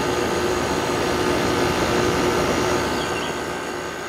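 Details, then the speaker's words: 2001 General Electric Quiet Aire air conditioner, blowing cold air: smooth constant hum with faint steady tone, no knocks or rattles, easing slightly at end; healthy. "sounds beautiful really quiet yeah i think it's just because the compressor was sitting for so long your air's nice and cold coming out of it"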